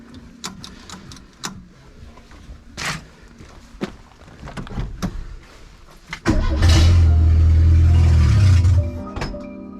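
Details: Renault 8 (R1132) with swapped 1397cc C2J engine: after clicking and handling the engine fires and holds a few seconds of coarse, unsettled idle; owner suspects a leak somewhere, not found.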